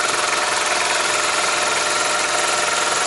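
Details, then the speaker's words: Compressor rated 8 hp with a 30-gal tank, running off an 8000 W inverter through a 100 ft 12-gauge extension cord: steady high buzz with an even fast pulse as the motor soft-starts, then runs normally. Normal start. "runs no problem so it that little that little buzzing at the beginning you don't get that on grid power because this grid power obviously doesn't have a soft start"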